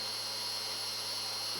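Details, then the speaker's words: Restored, cleaned U.S. Army DM-36-D dynamotor on 28 V input, output steady about 230 V: constant high whine over low hum, quiet, no wobble, scraping or grinding; normal running. "And as you can hear, the dynamotor is pretty quiet, even running on 28 volts. It's not overdriving it or anything."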